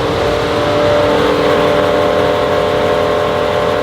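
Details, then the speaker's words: Mercedes GLE63S AMG V8, first start after over two months, exhaust valve tested; strong, clean rev with steady even exhaust note, no stumble or knock; fans running full, probably low on coolant, engine, suspension, TPMS and parking brake lights on; sounds healthy. "It's not that bad. That ain't that bad. Sounds good though. >> Yeah, it sounds good."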